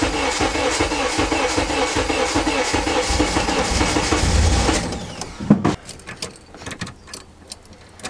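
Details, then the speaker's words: RHD Honda Integra, sat a month with a dead battery and kill switch: a forgotten unplugged fuel pump plug is refitted, then a long unbroken crank for about five seconds never catches and cuts off; no start yet. "now a fuel pump wasn't priming but it turns out that I had just forgotten to plug a plug back in so I guess now moment of truth"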